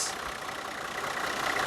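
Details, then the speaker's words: 1985 Cadillac Sedan DeVille transverse 4.3L V6 diesel, warm after cold start: steady, even idle with a hissy top end and no knocks or misses; runs healthy. "overall it runs and drives absolutely amazing"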